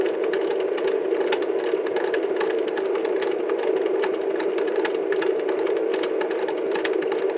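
Only a busy mechanical whir and rapid rattling ticks from the transport, with no sound from the tape; playback signal missing.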